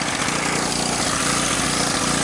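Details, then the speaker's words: Sportsman portable generator, small single-cylinder engine at steady speed, with a slight uneven stumble and vibration like an occasional misfire. Owner suspects the carburetor or emulsion tube needs cleaning, a fouled plug, or a lean mixture. "smooth out, but you can tell if you listen closely, there's still kind of like a little hesitation in it, almost like a little misfire."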